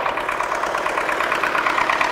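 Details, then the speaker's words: MTZ-80 tractor diesel just after an overhaul of its fuel injection pump, January with above-freezing weather: hard, uneven clatter and irregular beats at idle, knocking and running rough, though the owner says it runs smoothly under load. "а 100 рублей больше чистить стучит как то он и троит"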